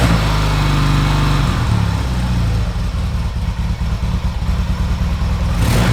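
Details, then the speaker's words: 1970s Yamaha XS650 twin that sat 10 years, started in neutral without choke: lumpy but even idle after a few blips, steady firing, no knocks or misses; normal idle. "look at that yeah this is pretty good okay that sounds great"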